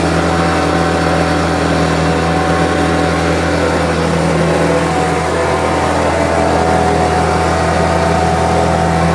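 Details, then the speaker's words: Homelite UT08572 two-stroke trimmer, final test run after repair: steady, even buzz holding one speed with no misses, surging or hunting. It earlier would not idle down, and the owner will check whether an earlier "tink" noise is gone. Running well. "seems to be running really well. I'll review the footage to make sure that that old tink or whatever the noise was is gone. But it seems to be firmly going."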